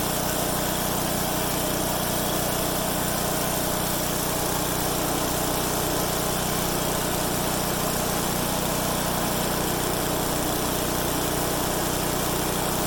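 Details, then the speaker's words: MTD-built Craftsman/Troy-Bilt chipper with newly replaced blades on a test run; loud, smooth, even small-engine drone holding one steady speed with no misses or knocks, running fine. "I'll tell you one thing, it is a loud son of a gun, man. I should have brought my headphones, earphones, and ear protection."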